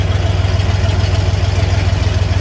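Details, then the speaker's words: Big-block V8 Bronco with ZF5 transmission, off the road 13 years, idling during its first heat cycle after a long sit: deep, even burble with steady pulses, no misses or knocks; everything as it should be, though throttle spring doesn't fully return. "That was nice. Refreshing. Everything is just as it should be."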